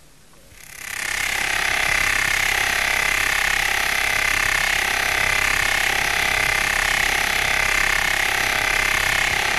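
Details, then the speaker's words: SKF electronic stethoscope on a 60309 deep groove ball bearing at 2,000 rpm under 20,000 N load: a harsh gritty rasp with rapid rhythmic ticking, from a damaged inner ring. "first let us listen to the sound made by a bearing in good undamaged condition here comes a bearing with a damaged inner ring"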